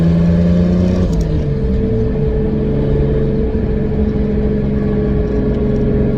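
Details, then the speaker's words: 2003 Nissan 350Z with 2JZ swap, fourth gear around 55 mph after a misfire fix: constant hum with a clear, smooth note and no random misfire bursts; feels very smooth, owner thinks the problem is fixed; normal cruise. "thank you it feels very smooth now there's a lot of responses on the way to the shop this morning but I think we fixed the problem"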